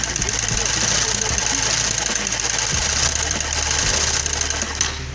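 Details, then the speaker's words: 2008 Honda CG/Titan 150, cam chain already replaced, clutch cover removed to rule out balancer and crank gears: fast metallic clatter persists when revved; connecting rod knock despite no measurable play, rod to be replaced. "Esse barulho tá vindo daqui, ó. E da biela aqui, ó, do enrolamento e da biela, ó."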